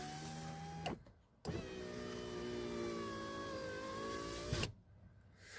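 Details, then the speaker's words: VAZ 2115 power window after silicone lubricant applied to the glass channel to cure squeaking and tight movement: two smooth, even motor runs with steady hum, no squeak or scraping; window now quiet. "давайте сейчас попробуем как быть работать ссылки работай замечательно посторонний звук не слышно"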